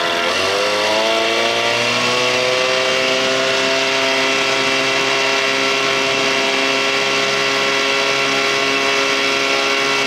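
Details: 1987 Johnson 6 hp two-stroke outboard on the water after carburetor swapped to fix bogging; buzzy note climbs briefly then holds steady and even, no bogging or stumbling; running cleanly.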